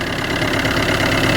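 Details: Car with a flat battery started using a battery booster: even, steady idle with a smooth regular beat, no knock or misfire, while the negative then positive clamps are removed. Normal idle.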